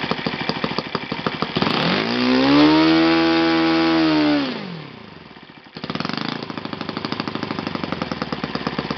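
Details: Yamada (Futaba) YS F 120 four-stroke glow engine on a test stand after a full rebuild (combustion chamber buildup, piston and ring problems), Yamada No. 4 plug: crisp steady idle, clean rise to smooth high-rpm scream, back to even idle; normal running.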